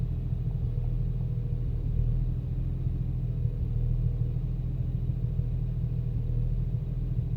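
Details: BMW 335i after VSRF downpipes were installed, previously fine: deep, lumpy idle whose rumble wavers unevenly, idle fluctuates and the car shakes, no error codes. Rough idle, cause not pinned down.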